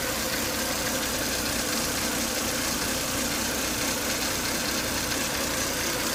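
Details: Volvo S80 2.5T idling, high intake vacuum sucking hard at the oil cap, strange broken-sounding noise after 10–20 minutes running, coolant boiling; harsh hissy whine over a rough unsteady hum, cause unknown.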